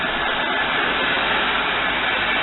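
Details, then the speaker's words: 1998 Buick Riviera 3.8L supercharged V6 just after valve cover gasket and front plug replacement: starts right up, steady even hum on fast idle with no knocks, misses or surges; running smoothly. "It started right up. Seems to be running good. Very smoothly."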